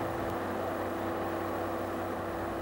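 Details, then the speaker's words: Toyota 4FG/4FD series forklift with a 5R engine at full throttle with no load, checked by tachometer: a steady, even high-speed drone with no misses or surging. The manual lists the no-load governed maximum speed as 2600 rpm. "we are working on a truck with a 5r engine the manual lists the no load governed maximum speed as 2600 RPM"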